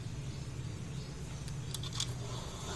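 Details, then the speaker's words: Scooter rear wheel, after replacing both worn bearings that had caused a rough grinding noise: spun on the centre stand, it gives a smooth, steady low whir with no roughness. Normal rear wheel spin after the repair. "setelah kita pasang diputarnya suaranya sudah hilang suaranya sudah normal artinya kedua bearing tadi ketika kita ganti suaranya sudah berubah menjadi normal"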